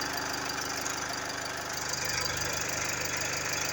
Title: GLE 250d 4matic engine noise